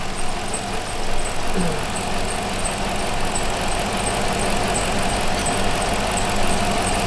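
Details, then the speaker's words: Dodge Magnum R/T V8 wagon, just started, not yet warm: steady idle with thin constant high squeal over the engine from the belt drive; owner suspects the idler pulley, possibly the belt. "Where's that squeal coming from? All right, probably one of these pulleys. Or the belt might need to be replaced. It could be the belt, but I think it might be the idler."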